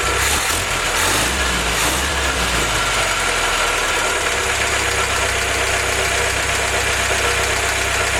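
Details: Willys F-head four-cylinder (snow blower jeep engine), first run on newly installed Weber carb replacing troublesome Carter YF, 180 thermostat: warm, even steady idle, no knocks, misses or surging; normal idle.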